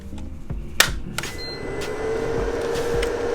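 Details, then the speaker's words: 2019 Keystone Cougar 368MBI RV with the 12-volt converter replaced for the third time, on shore power with battery reconnected: a few clicks as power comes on, then a steady even hum; converter cooling fan running normally, 13.7 V. "So the fan's working. Fan's working."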